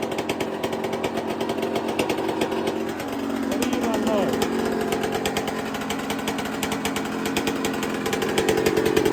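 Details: 1999/2002 Yamaha YZ125 converted to YZ144 two-stroke, first start after full restoration and carb rebuild kit, long-sat: sharp rapid buzzing holding steady, lifting slightly with throttle, crisp and even; normal healthy running.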